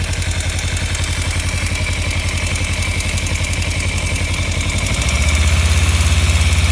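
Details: 2015 Kawasaki Ninja 300 at warm idle after short riding: quick, even metallic ticking over the exhaust thrum, started a month or two ago; owner suspects cam chain tensioner or loose exhaust header bolts, unconfirmed.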